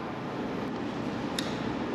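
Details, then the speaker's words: AC-only unit indoor blower after replacing faulty fan relay that had stuck on: thermostat calls for cool, steady even airflow rush with no rattles or scraping, then stops when set temperature is raised; normal blower operation after repair. "we're going to satisfy the temperature by raising the set temperature, and it turned off. So it's working. Before it was getting, it got stuck on the on position."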